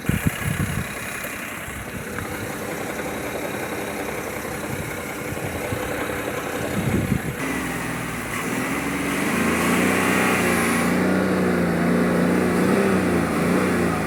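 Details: 2007 BMW 530i E61 touring, N53 petrol straight-six, 6-speed manual: irregular low bottom-end knocking at idle after light revs, about three per second, which goes away with the clutch pressed; worn dual mass flywheel.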